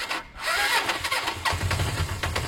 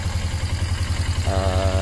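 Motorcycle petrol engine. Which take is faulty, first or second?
first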